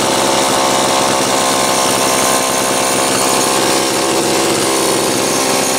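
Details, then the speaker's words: Homelite Super XL chainsaw, cold start after nearly two weeks unused, serviced starter, carburetor and fuel cap, new spark plug and rim sprocket: loud, steady high-pitched buzz at high speed with no stumbles or misses; runs clean and healthy. "let's go ahead and take a listen it's been just shy of two weeks since i ran it last see what it takes for a cold start"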